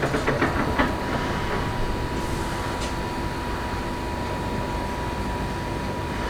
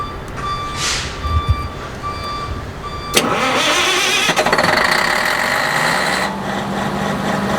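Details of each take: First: Perkins 2806 electronic diesel engine (600 kVA generator), 24 V battery good: steady, even starter churning, engine turns over but never catches; crank-no-start traced to a blown ECM relay fuse. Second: Electronic diesel engine on a 600 kVA generator, after replacing a blown fuse that caused hard starting: cranks, catches and settles into a steady, even idle with no misses or knocks; normal start and idle.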